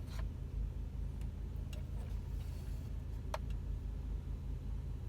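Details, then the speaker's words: 2002 Ford Explorer after blend door actuator replacement (old one clicked when the dial was turned to heat): only low steady engine idle hum with faint ticks, no clicking from the dash; actuator now quiet and heat works. "all right so let's give it a shot moment of truth all right no sound awesome"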